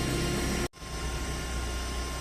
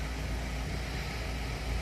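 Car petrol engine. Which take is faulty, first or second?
first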